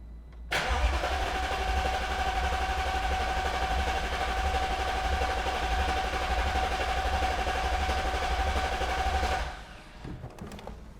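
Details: Newly rebuilt supercharged V8 in an Alpina B7, first crank to build oil pressure with the fuel pump fuse pulled and ignition coils disabled: steady even cranking for about nine seconds, fast uniform pulses, no catching or scraping.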